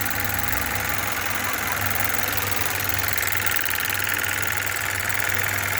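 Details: 2015 Kia Optima petrol engine idling after a cylinder 2 misfire fix with a new ignition coil and spark plug: steady even hum, no stumbling or vibration; check engine light gone.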